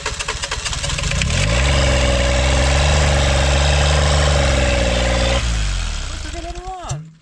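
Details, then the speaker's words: Kubota L722 0.8-litre three-cylinder diesel, first start attempt: races up to a high steady howl with no response from the levers, then winds down; suspected stuck injection pump plunger or rack at full fuel; diesel runaway. "Dude, Why is it revving so high though?"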